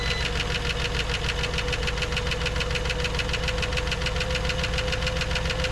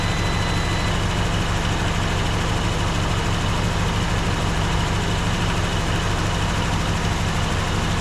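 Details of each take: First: 1954 Dodge Coronet V8, stored 42 years, just after first start with about 40 psi oil pressure: fast, even ticking of three or four a second over the idle; noisy lifters, gone on the second start. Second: Warm Poly V8 in a 1954 Dodge Coronet Suburban wagon, first run after 42 years garaged, coolant refilled and not leaking; even, steady idle with a smooth low rumble and no lifter ticking or tapping; engine running healthy.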